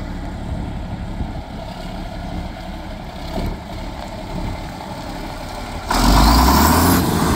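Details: John Deere 4440 diesel tractor, restarted after about 12 years sitting, runs with a deep, steady rumble and no knocks, then a louder surge near the end; sounds strong and healthy.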